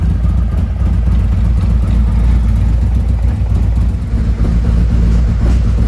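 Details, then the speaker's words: 2017 Harley-Davidson Ultra Limited 107 with newly installed Thundermax EFI and Bassani, during the second auto idle tune while warming up toward 180 degrees: deep, loping V-twin idle with steady lumpy exhaust pulses and no ticks or knocks; normal idle. "Okay, we're doing the second idle tune. We'll We're waiting for everything to settle down here, and it looks like it's going to be okay."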